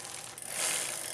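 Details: Older Cannondale bike after chain shortening, on big front ring and second-largest rear gear: pedals spun backwards give a rapid, light, high-pitched freewheel ratchet buzz, no rubbing; normal.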